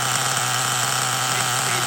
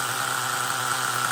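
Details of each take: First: LRP 32x Spec 4.1 nitro engine on its first idle-tank break-in pack in a cold garage: factory needle settings, engine pre-warmed to about 200°F (block ~175°F, glow plug ~253°F), exhaust piped through a long hose. Soft, burbly high buzz at idle; the pipe restriction makes it run rich and it needs leaning. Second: LRP 32x Spec 4.1 nitro engine late in its second idle-tank break-in, carb kept insulated from engine-block heat: steady, even high-pitched idle with no hunting or surging. It is not over-revving or going rich as it warms, so the carburetor is holding up.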